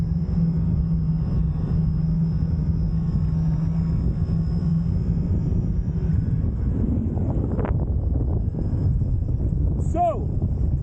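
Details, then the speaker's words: Fliteboard foil riding with a quiet wing: only heavy wind rumble and light splashing, no whistle or tone from the wing. "the only thing you can hear is to win very very tiny windy noise splashing that's about it"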